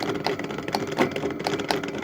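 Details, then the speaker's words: 8FUN 36V 250W geared hub motor from a La Poste e-bike, run through controller and battery by throttle: irregular rattling clacks about every quarter second over a light motor whir, from broken plastic planetary gears inside. "son moteur fait énormément de bruit donc ça claque à l'intérieur"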